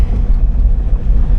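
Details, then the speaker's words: 2002 Mazda Miata 1.8L, 6-speed, 200,000 miles, driving: low engine drone with uneven, stumbling pulse; misfire, owner suspects a dead cylinder, leak-down test planned to confirm. "You can hear it missing. I think it might have a dead hole, or I don't know."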